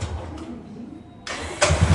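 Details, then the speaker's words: Royal Enfield Classic 350 and Classic Desert Storm 500cc: silence, then harsh ugly noise as electric starter engages and single fires up; worn starter one-way clutch bearing, clutch covers to be opened. "তো এইটার সমস্যাটা হলো self মারলে একটা বাজে টাইপের আওয়াজ করে।"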